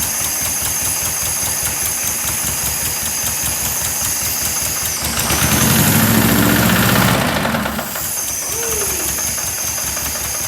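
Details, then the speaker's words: 1976 Porsche 914 VW Type 4 2.0 engine running on test stand after 30 years stored: steady knock about four per second over idle, persisting through a brief rev; same knock heard when installed in car, cause unknown. "all right i didn't notice that knock yesterday but that that is the knock that was knocking when we had it running in the car so it's interesting"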